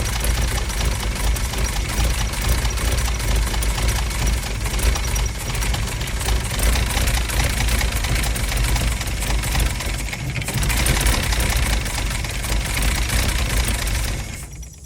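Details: Mercedes W114 280CE at idle. The engine runs loud and uneven, with a lumpy, irregular pulse instead of a smooth beat. Rough idle; cause not yet clear.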